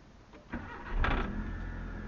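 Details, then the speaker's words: Proton Waja MMC automatic with unstable idle, after TPS reset and thermostat refitted: quick clean start, revs flare then hold a raised steady fast idle until coolant reaches 80 while the stepper motor stays open; normal cold start. "Start cantik. Dia naik dulu lepas tu baru terun. Okey. Dia agak tinggi sikit sebab tak sampai 80."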